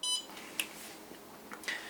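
One short, high beep sounds as start is pressed in a quiet room; the kiln controller is acknowledging the start normally.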